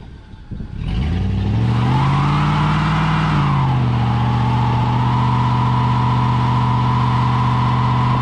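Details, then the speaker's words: 1999 GMC Sierra pickup after oil pickup tube O-ring replaced to fix low oil pressure (was 25-30 psi hot, now 40 psi cold start): engine revs briefly then runs smooth and even, no knocks or ticks; healthy. "Hey guys, we got the oil problem fixed, so we're gonna test on it the right way."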